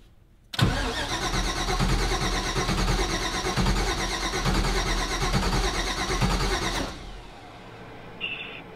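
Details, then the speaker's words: Mazda RX-7 FD, supercharged rotary, being brought up on a new Fuel Tech FT550 standalone ECU: starter cranks it evenly for about six seconds with no catch. The ECU reports a start attempt with neither cam nor crank sensor signal, so crank but no start. "Start with neither cam or crank sensor. So it's not reading either sensor, which is... that means we got to get Fuel Tech back on the line."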